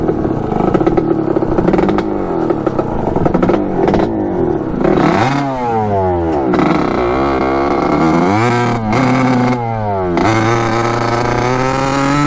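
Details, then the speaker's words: 1986 Kawasaki KX125 two-stroke dirt bike after a new VR8ES spark plug; revs sag and stumble unevenly, still running poorly, so the plug did not fix it. The owner suspects the carburetor main jet. "oh so still not running right all right so that was no good um the spark plug did not fix our problem"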